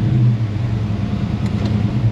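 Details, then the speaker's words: Silverado with 388,000 miles, probably overheated from low coolant: deep, uneven, lumpy idle with no clean rhythm; running really bad; coolant smell, with water later pouring out through the radiator; cause not pinned down. "Maybe it's glued on too well. and running really bad."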